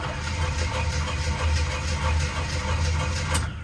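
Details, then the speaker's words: 1978 Jeep Cherokee that has sat at least a year without being started, after about 15 pedal pumps: steady cranking that never catches. The engine turns over but won't fire, and the old fuel is suspected. "we're probably gonna have to uh pour some gas down the vent tube because that fuel's probably about had it"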